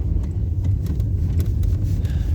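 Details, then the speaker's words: Hyundai Elantra HD driven on a badly broken abandoned road after replacing stabilizer bushings and installing repaired shock absorbers; only dull road rumble with no clunks or knocks, springs and shocks coping well. "Вот по такой дороге не очень хороший мы едем. Как вы можете обратить внимание, она сильно плохая, но подвеска хорошо справляется. Работают и пружины, и амортизаторы."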